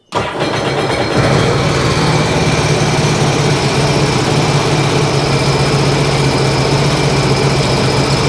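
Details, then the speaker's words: 2009 Sea-Doo Wake 215, supercharged 4-TEC: starts and settles into an uneven, lumpy idle; disabling cylinder 1 changes nothing, pointing to that cylinder not firing; coil, spark plug and compression still to be checked. "Okay. That one's running. First one does nothing."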